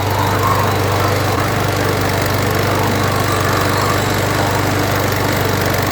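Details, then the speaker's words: Weedeater (Husqvarna/Poulan) mower with a hot-restart problem. A constant buzzy drone at steady speed with no hiss or stumble; the earlier hissing is gone, and the owner wonders whether it gets hot enough. Normal running. "I don't hear the hissing anymore. I don't know if it just doesn't get hot enough."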